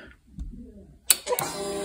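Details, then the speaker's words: Kawasaki Ninja 300, after patching a car relay to the board over burned relay wires: a sharp click at key-on, then a second click and a faint steady hum as the fuel pump runs. The relay is closing as it should. "it does makes it click but you can also hear the let me try that again"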